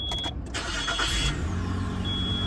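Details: Auction car start after knocking was heard and the engine was shut off: quick crank catches at once and settles into a steady, even idle with no knock or stumble; a transmission engagement delay was suspected afterward.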